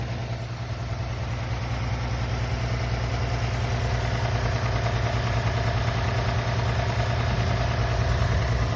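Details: Toyota 3.5 2GR-FSE V6 at idle: dull, fairly regular knock about three per second under the engine note; cause of engine knock unknown.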